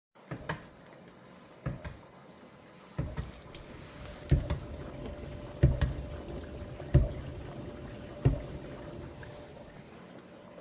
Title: GE Dishwasher GDP665SYNFS Knocking Noise